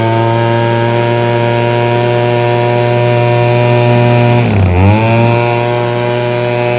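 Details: Echo PB-2520 handheld two-stroke blower, carburetor replaced last year, limiter caps removed for high-speed jet adjustment: high steady wail that sags and stumbles near five seconds then climbs back; won't rev up or hold top speed.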